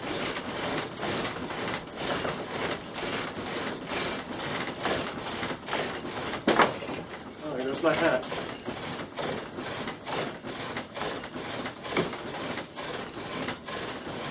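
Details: Oar drill (bow-type friction drill) with an extra wrap of cord on the spindle to stop the stutter from slack between strokes; even back-and-forth whirring push-pull strokes at steady pace, no catching or stutter, running smoothly until smoke rises.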